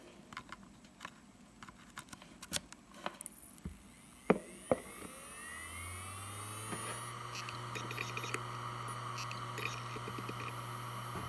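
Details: Western Digital Blue WD1600AAJS 160GB 3.5-inch 7200 rpm SATA hard drive, made 2014, only 17 hours, on a USB adapter: rising whine as the platters spin up to a steady hum, then light irregular seek ticks. Healthy, normal spin-up and seek.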